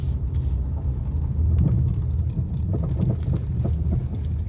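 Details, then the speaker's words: Car driven over potholes near the workshop, recorded from inside: road rumble with dull irregular knocks as the wheels drop into holes, caused by worn sway bar links, not the shock absorbers. "eso esos son los waivers links no son los amortiguadores la mayoría de personas"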